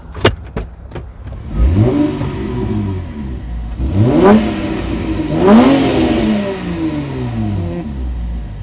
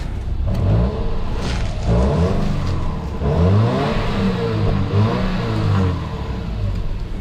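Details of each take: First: Auction V6 car with 173,614 km on the factory muffler, heard from outside. Three clean blips up and back down with a smooth, even, quiet note; a healthy engine on a stock exhaust. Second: Auction car with low fuel, a big muffler, an oily smell and noisy power steering, with a belt problem suspected. The idle keeps swelling and sagging and stumbling instead of holding steady; cause unclear.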